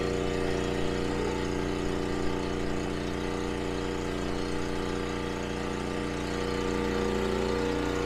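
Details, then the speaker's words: Larger generator powering a newly installed well pump via controller and fuse panel, first run with yard hydrant open; steady even hum, constant low drone with no misses or surging; carries the pump load smoothly, water flows. "There we go. That's the first water out of the well pump."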